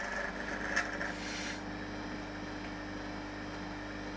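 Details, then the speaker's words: Vevor vacuum pump on a home-made vacuum dryer, after about 12–14 hours of continuous running. A steady drone carries a fast, uneven rattle at deep vacuum, apparently from the pump side; the owner suspects the vanes are bouncing in their slots. Venting air in stops the rattle. "interestingly you can hear that rattly rattly rattly rattly sound and it's hard to tell where it's coming from exactly I think it's coming from the actual vacuum pump side of things"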